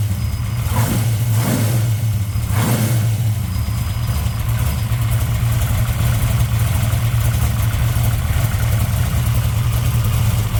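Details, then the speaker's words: 1964 Dodge Dart gasser stroker V8, cold-day (~40°F) first start after replacing broken rocker arms, with lash set at a loose 0.017 in cold. A lumpy idle with some early throttle blips and no valve clatter is heard. Normal idle. "well as you heard it's uh it's running again so sounds good uh not a lot of rattle"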